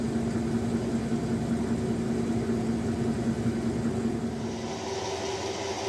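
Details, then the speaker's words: Dakota 9.25-inch rear differential, wheels off the ground, oil already changed: in reverse (coast side of ring and pinion) only a steady low drone with no whine; the high-pitched whine occurs only in forward gears, suspected pinion/gear wear, unconfirmed. "it's only making this bloody racket in the forward gears have already changed the differential oil but that didn't quiet it down here it is in reverse on the coast side of the ring and pinion gears quiet as a"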